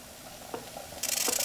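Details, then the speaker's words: Homebuilt Wimshurst electrostatic machine: harsh, pulsing hiss replaces quiet whir of spinning discs; polarity has swapped, which can happen after long sitting, metal touching a disc, or high humidity; reversed polarity charging. "Sometimes, if you let the machine sit for a long period of time, or something metal touches the disc, or a high humidity, you might find the polarity swaps. And you'll know it because it'll make this noise."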